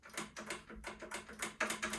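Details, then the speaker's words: Ariens 1336 snowblower with a dead battery, run from a booster pack with key on; quick light clicks, about three to four per second, with no motor whir; electric chute motor clicking without turning. "what I'm trying to do is just get the chute motor going. And I think I hear it clicking, but nothing's happening."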